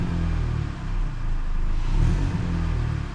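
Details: 2012 Hyundai Elantra after new flex pipe with O2 sensor section refitted: engine revved, deep smooth exhaust rumble with no puffing or ticking; flange no longer leaking, though a small leak remains further back; much quieter.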